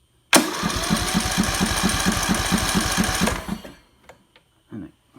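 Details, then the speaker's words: Briggs & Stratton 15.5 engine, preliminary check with spark tester fitted, plug not pulled: steady rhythmic chuffing about two beats per second, no loose rattle; cranks with even compression, ignition seemingly trying to spark. "sounds like something's pumping with respect to compression and you can see we certainly have ignition or at least we have is trying to spark let's put it that way"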